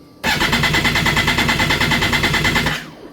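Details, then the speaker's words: 2011 Kawasaki Ninja ZX14 crank, no start: starter cranks in quick even pulses for a couple of seconds over a loud fuel pump hum but never catches; owner suspects fuel pump bleeding internally or a popped-off hose, unconfirmed. "I'm thinking maybe there's a fuel issue that that fuel pump sounds very loud like it's dumping fuel inside. Yeah. Nothing. it won't do anything."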